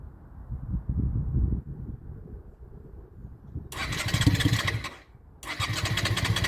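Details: Honda Shadow restoration, after carb float work that had caused fuel overflow: fires and catches briefly each attempt, revs fall away and it dies. Starts then stalls; owner suspects too much air or battery.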